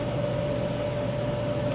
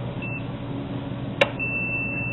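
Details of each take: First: Dell server power supply reassembled after DC ground isolation work, powered up; steady whir with a constant mid-pitched tone and no ticking or rattle; fan running normally, output about 12.5 V. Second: Dell server power supply on multimeter continuity: brief chirp, probe click, then steady tone; DC output post bonded to earth-grounded case, a problem for running two supplies in series.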